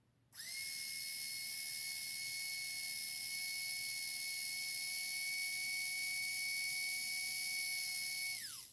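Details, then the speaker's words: Bulldog F1 RC car drivetrain running in on 12 volts: steady high, clean whine holding even pitch then winding down smoothly; normal motor and gear whine, still ringing like a bell. "Still ringing like a bell. Actually, I think it's just the drivetrain, isn't it?"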